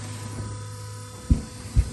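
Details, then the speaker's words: Car running straight water with an electric water pump: loud steady low electric drone with a couple of dull thumps, louder than usual, coolant just bubbling with no flow; the electric water pump has failed and moves no coolant. "this car does have electric water pump on it mazir I think this mazir look like let me show you clearly a problem you hear how loud it is for one"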